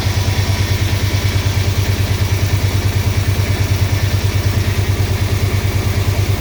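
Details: 6.1 HEMI V8 swap in a 1970 Coronet, first run with no coolant: loud lumpy idle with a heavy uneven chuff about twice a second; injectors on cylinders 8, 6 and 4 not firing. Rough idle misfire.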